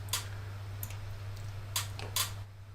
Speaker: i don't know if you can hear that shattering in the background but the relay is flickering on and off